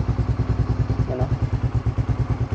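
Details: Raider 150 Fi motorcycle after a battery replacement fixed its failing push start, now starting: single-cylinder ticks over in an even, steady beat with no misses or stumbles; normal idle.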